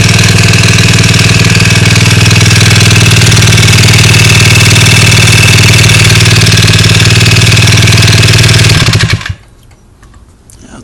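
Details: Honda Ruckus scooter engine running: loud steady rapid knock about four times a second that ends when the engine shuts off; engine knock.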